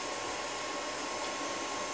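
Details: APC XS 1300 desktop UPS with the temperature sensor reconnected. A soft, even airy cooling-fan whir at constant pitch with no beeping: running normally with no error, estimated runtime 14 minutes.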